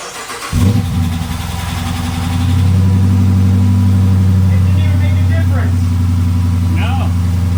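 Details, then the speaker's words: Retired Michigan State Police Dodge Charger Pursuit V8 being built into a supercharged widebody, new exhaust with rear mufflers still fitted: cold start, catches first crank, flares, settles to a deep, even, loping idle that slowly firms up; healthy. "I want to give you guys a quick little cold start with this setup and then once we get those rear mufflers off, I'll give you guys another startup."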